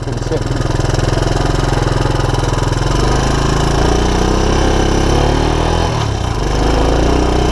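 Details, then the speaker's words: 1984 Honda ATC200ES Big Red with no-spark OEM ignition replaced by 12V DC CDI, key-started a little cold: single-cylinder putters steadily, rising and settling with throttle blips, firing every stroke; normal cold idle. "so whether your all-terrain vehicle is 40 days old or 40 years old this is where you want to be you want it to key start it's a little cold"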